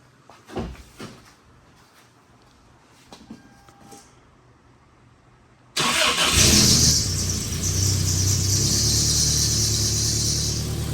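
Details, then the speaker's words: Toyota 2.4L after EGR valve replacement and catalytic converter removal: engine cranks and catches into a steady, even idle with light hiss; runs smoothly and much quieter than before. "That sounds nice. >> It honestly sounds pretty nice. All right. I mean, yeah, it's way quieter than it was."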